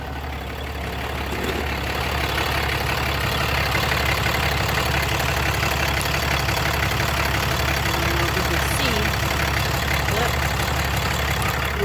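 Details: After changing the oil and fuel filters and priming by key-cycling until the fuel pump shut off: steady, even diesel clatter at a settled idle with no stumble or miss. Runs smooth and healthy with no leaks.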